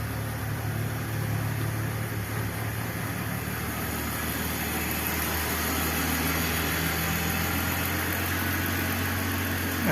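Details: BMW E46 325i Touring 2.5 six-cylinder warming up, after cylinder 4–6 misfires and a plug check, with an exhaust cam sensor fault: the idle rises and dips every few seconds and rpm drops just off idle; cause not pinned down.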